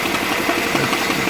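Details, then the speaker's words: 2010 Mini Cooper Clubman idling: quick rhythmic knock at front of engine, persisting after new timing chain tensioner and friction wheel assembly; vibration felt at friction wheel, pitch changes when pressing its cover; suspects water pump, pulley or harmonic balancer. "You can feel the knock and change a little bit of the pitch by securing this plastic covering on the friction wheel."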